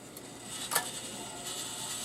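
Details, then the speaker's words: Rowe AMI CD100A jukebox, control computer previously smoked, first power-up: changer cycles through CDs saved in memory; light whirring, faint ticks and one sharp clack, mechanism cycling normally. "It's trying to play all the CDs that it was trying to play before, that it's been saving in the memory for Lord knows how long."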